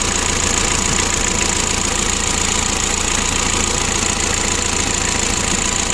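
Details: 2011 Mitsubishi L300 diesel, hard to start and lacking power: loud, hard knocking at about 214 knocks a minute, steady at idle, heard while the injection pump is being adjusted; cause not yet found.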